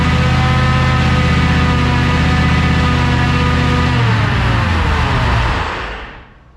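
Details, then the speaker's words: 1969 Ford F-100 rebuilt 460 V8 on jack stands, after moving clutch fork spring: fires and runs with harsh whine over grinding note rising with revs, dies at shutdown; owner suspects drivetrain/transmission, unconfirmed. "I mean, it grinds something drivetrain related. That's what we got to figure out."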